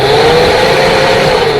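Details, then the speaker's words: Heater blower fan motor bench-tested by touching leads straight to battery: steady, even whir at one pitch with no rubbing, ticking or grinding; motor is good, suspect the wire to the switch instead. "so now I've determined that the fan is good which is good that means I don't have to go buy a new fan"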